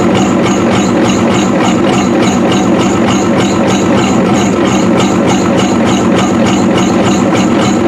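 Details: 1993 Ford F-250 7.3L IDI diesel after new injectors: loud, heavy idle with hard, lumpy pulse about 2.5 beats per second, running rough; owner suspects injection pump severely out of time; water pump squealing belts.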